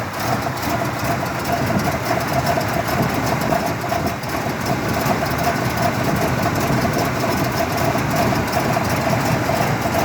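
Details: 1979 Cadillac Coupe DeVille, cold start at about 45°F after sitting two days, left at idle without throttle: very rough, lumpy, stumbling idle that smooths out once warm; only occurs when cold, normally not above 70°F; cause unknown.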